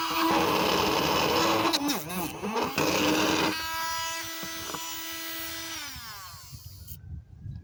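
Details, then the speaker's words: Battery air hockey puck toy that had been grinding with no airflow, opened up and tested: fan motor spins up to a steady whirring tone, runs evenly without growl, winds down smoothly; normal fan running. "okay that sounds pretty healthy why is it growling"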